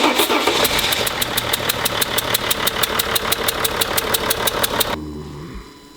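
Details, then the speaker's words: Mercedes E320 CDI diesel at start-up, with a locomotive-like noise: a sharp, rapid chuff in time with the firing. Combustion gas is escaping past a leaking injector seal (possibly a burnt seal or loose injector clamp), fixed by replacing the injector seal. "Pero bueno, pues esto por tenemos una fuga ahí por un inyector, pasa en cualquier otro coche, ¿eh?"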